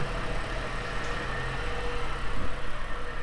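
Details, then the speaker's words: Ford started with jump pack after sitting: low quiet steady idle, no whirring or whine from belt drive, unlike another engine whose pump, thought to be a brand new refurbished item, whirs; normal idle. "So as you can hear, this one is quite quiet, nice and silent."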